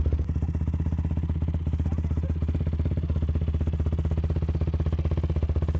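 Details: YFZ WR450 478 hybrid single-cylinder after repairs: fires up and settles into steady, even thump at about four beats a second, no misses or knocks; healthy idle.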